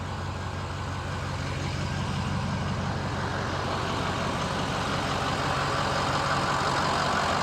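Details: Ford F250 6.0L Powerstroke diesel just started after cleaning sticking Garrett VGT turbo vanes/unison ring: even diesel clatter at steady idle, no misses, surging or turbo whistle; normal idle, engine light on, unsure if it was already on.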